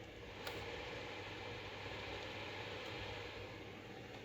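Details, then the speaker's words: Acer Predator X27 monitor cooling fan set manually to 100% (75% sounded normal): constant airy roar with low hum underneath, no ticking or grinding; fan simply very loud at full speed; loud fan noise. "let it put manually to 75 can you hear it I definitely can so 75 was like normal and this is a hundred so once again 100"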